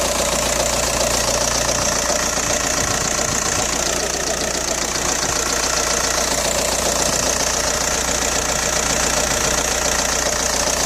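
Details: Audi A4 B6 1.9 TDI AWX diesel at idle: steady fast bright metallic clatter about two to three ticks a second, started after replacing injector o-rings and copper washers; cold-start smoke gone but power seems lost; cause unknown.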